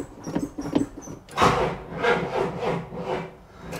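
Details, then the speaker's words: 1973 Cadillac Eldorado convertible, 500 ci big block, just fitted with new carburetor and power steering fix: slow, dragging cranking about one and a half strokes per second fading without catching; no-start from dead battery. "and the battery's dead over there by you uh it is over here by me"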